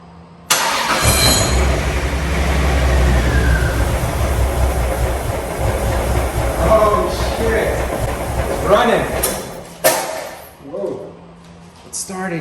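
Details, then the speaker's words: Toyota MK4 Supra, first start after engine swap: engine catches after cranking and runs rough and uneven with a few sharp pops; owner suspects a backfire from excess fuel built up during earlier failed start attempts. "so maybe it was getting too much fuel initially they backfired out of here because there probably was so much fuel built up from when I was trying to start it earlier and it didn't and it was just dumping fuel"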